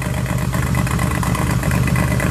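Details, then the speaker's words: Honda EK Civic coupe with a J32 swap and junkyard single-turbo manifold and exhaust, at idle: rapid puffing chuff riding on the exhaust note from air escaping at an exhaust flange; exhaust leak, EGR valve also unplugged. "Oh yeah. Okay, so there's a leak. Okay, kill it."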